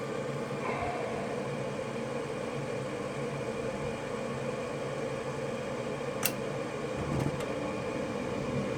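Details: York Diamond furnace draft inducer motor after replacement (old motor ran very hot, hummed, three-flash pressure switch code): steady, even whir with smooth mid-pitched hum, no rattle or scrape; normal operation.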